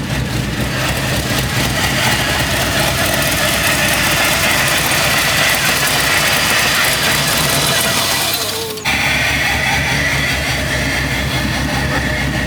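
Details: Chevy C10 V8 after a new wiring harness, injectors and MAP sensor: it catches and idles steadily, then near eight seconds the idle sags and stumbles before recovering; a vacuum leak makes the idle act up.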